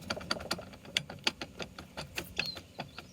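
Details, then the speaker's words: Jeep driveshaft CV joint turned slowly by hand, engine off: irregular gritty clicks and ticks several per second; the joint was submerged, likely full of salt water, boot intact. Worn, bad driveshaft. "generally not supposed to make that noise out of you know the moving hardened steel components they're usually not supposed to go so yeah bad drive shaft"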